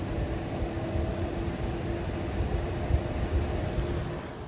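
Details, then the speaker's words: EVGA RTX 3060 Ti FTW3 Ultra triple-fan GPU cooler at 80% fan speed, 29°C idle, case fans also audible: steady even airflow hum with faint constant tone, no ticking or rattle; fans healthy. "so yeah it's at 80 right now 29c on idle so let's bring this up to 90 percent it's saying louder and louder"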